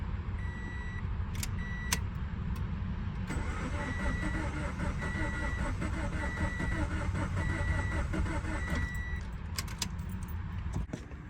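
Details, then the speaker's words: 2013 Scion FR-S after engine blew and owner rebuilt it: starter cranks steadily about six seconds without catching, chime beeping, fuel relay unplugged so no fuel, priming oil before first start so it doesn't start dry. "The fuel relay, like I said, is unplugged. It's right here. So that there's no fuel when I prime it. That way, you know, I can get oil to the engine before I start it. I don't want to start it dry."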